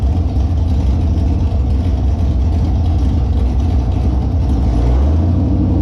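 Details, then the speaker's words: Holden Monaro engine after reassembly with a new Crower cam (217/226, 114), on open headers not joined to the exhaust; loud, deep, choppy V8 rumble with a rhythmic lope and slight rise in revs; normal cammed idle. "It's open headers. The headers aren't joined to the rest of the exhaust, so it'll be loud."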